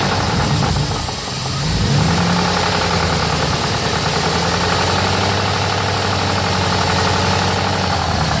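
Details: 1999 Jeep Grand Cherokee WJ 4.7 V8, run low on oil, now changed, steady oil pressure; tapping about four per second over idle, sharper as revs rise, still present; driver valve cover off looks fine, cause undiagnosed.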